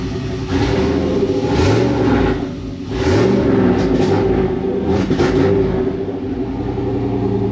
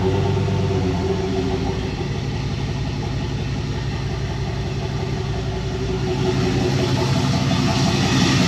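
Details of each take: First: 1999 Chevrolet Silverado 1500 with turbocharged 4.8L V8 (235k miles, 862 heads, stage 1 cam, Deka 80 injectors) on first start with base speed-density tune: revs cut up and stumble around 2,000 rpm, cleaning up above that; tune still needs work. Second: 1999 Silverado 1500 turbo 4.8L LS, 235k miles, 862 heads, BTR Stage 1 cam, first start on base speed-density tune: deep, steady V8 lope at idle, even pulses, no knocks or misses; normal idle.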